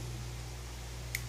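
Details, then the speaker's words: Plasma cutter with no pilot arc, repaired 24 V standby relay refitted on PCB: two crisp clicks over steady low hum, continuity beep confirms; relay now pulls in and releases properly. "so we can hear it clicking let's check for continuity again should beep so okay so it does work"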